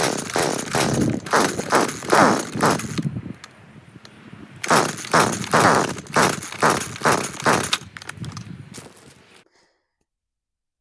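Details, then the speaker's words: Stihl FS40C trimmer that won't start, on fresh fuel mix with no spark arrestor fitted: repeated pull-cord cranking with no catch, then silence. The NGK CMR6H plug was oily and crusty with carbon buildup, a fouled plug. "so this thing still won't start. Let's pull that spark plug out and take a look at it."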